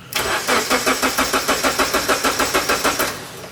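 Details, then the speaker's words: Honda Civic EF with a K24 swap on a standalone ECU, after a rat-chewed crank sensor wire was repaired: cranks about three seconds at about three pulses a second, never fires. Crank no-start; sensors were replaced afterward. "Masih nggak mau hidup mul. nggak mau dia."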